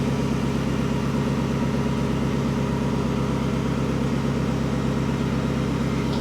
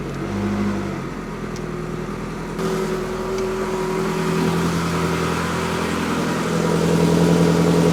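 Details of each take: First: 1954 Ford F600 cab on a 1995 Toyota Coaster chassis: steady idle with an uneven, lumpy exhaust beat and a regular stumble about three times a second; one exhaust bank rough versus smooth, suspected missing cylinder on that bank. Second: That's better. Much better. The exhaust sounds even now. That is what it's supposed to do.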